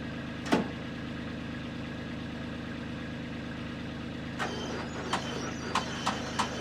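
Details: John Deere model B two-cylinder tractor, cold start, first start since summer, battery nearly dead so it turns over slowly but fires right up; slow even putt at idle with steady firing and a few stray clicks, healthy idle.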